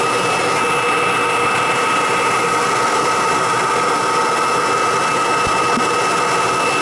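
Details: Kirby G4 vacuum switched on with bag fitted for a pre-service check before fan and brush roller tune-up; steady, even high-pitched motor whine with constant airflow rush, no rattles or surging: normal running.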